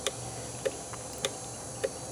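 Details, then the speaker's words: Land Rover relay bench-tested in a powered relay tester: crisp, evenly spaced clicks about every 0.6 seconds over a faint hum as it switches back and forth repeatedly; relay healthy. "plug it in you hit test and you could hear it here it just swapping back and"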